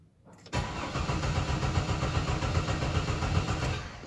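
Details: 2005 GMC Envoy 4.2 with misfire, cranked with ignition on and throttle floored: starter turns engine at even beat of about three or four pulses a second, no lazy strokes; compression even.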